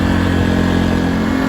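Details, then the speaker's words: A-iPower SUA2300i 1800-watt gas inverter generator just started after a couple of slow pulls, running in normal idle mode (not low idle): steady, even hum with smooth low drone, no knocks or surging; normal idle. "So I'll show you right now. It's at normal idle."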